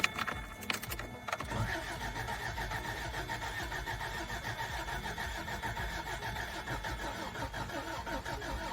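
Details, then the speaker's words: 1990 Toyota 4Runner 22RE after head, cam and gasket replacement, fuse and coil unplugged to prime oil before flat-tappet cam break-in: slow, even starter churn with rhythmic compression beats and no firing. Engine cranking without start. "It's not going to start, but I'm going to go ahead and crank it."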